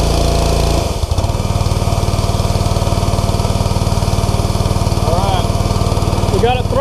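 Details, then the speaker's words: New Simpson ALH 3228 gas pressure washer, just started with choke then set to half choke: small single-cylinder engine ticking over steady and even at low throttle, regular firing with no misses or knocks; healthy warm-up idle. "wow all right that started pretty quick i made a fuel coals with the choke on i moved the choke down to about half and then it cranks right up"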